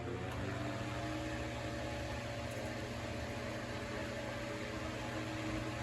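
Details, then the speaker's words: Vintage late-1960s/early-1970s Corondo 12-inch table fan after clean and service, first power-up: soft, even motor hum with steady airy rush, no ticking or scraping, oscillation working; runs smoothly. "I'm going to plug this up oh wow it definitely it sounds like it is flying colors"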